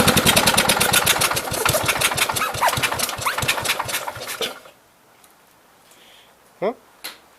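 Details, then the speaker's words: 1969 Gravely 432 single-cylinder with rebuilt original engine, running about half an hour: steady fast even thumping, no knocks or misses, clean shutdown; it later dies from a fuel supply issue, owner suspects the fuel pump. "enough for me so it's been sitting here running for every bit I've got a half an hour so pretty happy with it"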